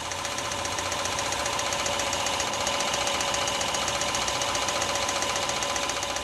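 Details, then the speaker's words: Petrol engine at idle: light, regular metallic knock, about four a second, diagnosed as a worn wrist pin. "I'd say it's a wrist pin nut matter of fact I'd stake my Ripper"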